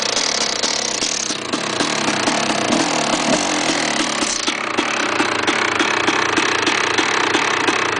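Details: KTM 380 SMR two-stroke at idle: crisp regular tapping about two to three knocks a second over the buzz; bad engine noise, cause unclear.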